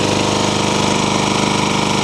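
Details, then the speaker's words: Toro engine swapped onto a Craftsman mower. Rapid, regular tapping rides on the steady run. The owner suspects it is just starting to knock, not confirmed. "I think I yanked this engine off of a Toro because it sounds like it's just starting to knock what do you guys think just doesn't sound quite right to me"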